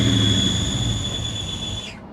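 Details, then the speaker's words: SN95 Mustang GT converted from automatic to manual, with a very heavy clutch pedal. A high, steady squeal over low engine rumble cuts off sharply when the clutch is released. Worn throwout bearing. "That's a throwout bearing. That's a throwout bearing. We really should not drive this."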